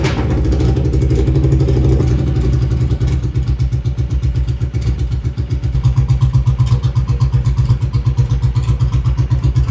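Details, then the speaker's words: Honda Silver Wing (GL500) V-twin with new custom stepped unequal-length headers, no mufflers, carbs not yet rebuilt. Harsh, deep lumpy thump about four pops a second, booming louder on blips; open pipes too loud, leaking fuel. "wow that's loud"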